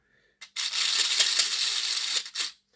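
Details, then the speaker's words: Old Hornby R751 Class 37 motor cleaned, fully reassembled with brushes and new bearings, run on battery before lubrication. High, rough buzzing whir for about two seconds. Dry gears and axles likely cause the noise; moly grease is to follow. "So stick a battery on this, it should go. Might be a bit noisy because I've not lubricated it yet."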